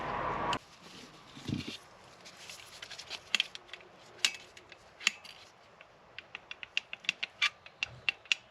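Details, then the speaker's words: MG Midget, twin SU carburettors with worn throttle spindle bushes and poor carb-to-block gasket, idle problem: faint uneven engine with sharp irregular clicks; worn bushes letting excess air into the carbs, to be fixed with rebuild kit. "that that's that click and sound you can hear that's allowing excess air to enter the carbs before we want it to"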